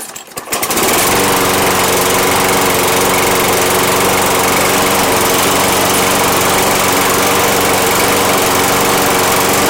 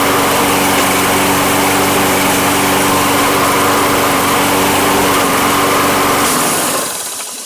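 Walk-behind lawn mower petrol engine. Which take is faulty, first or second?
first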